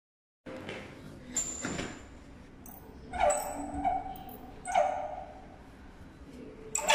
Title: Toilet roll holder sounds like duck squealing